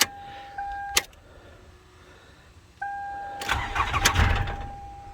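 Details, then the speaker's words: 2010 Toyota Camry, four-cylinder, that rattled like a can of marbles at startup, right after a VVT solenoid replacement: starter whirs about a second without catching, then the second try fires into a loud, rattly run for about two seconds before smoothing out as oil pressure builds. "that time it didn't start well maybe you could hear that on the camera it did rattle pretty good upon the first startup"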